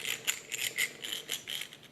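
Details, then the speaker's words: WPL B24 RC truck gearbox, pinion turned by hand: uneven bursts of light, tinny clicking and rattling about three per second, a grinding sound showing huge gear backlash; owner fixes it with small 3 mm inner-diameter washers. "Donc vous voyez, on entend, ça grignote. Ça grignote, ça veut dire qu'il y a un jeu."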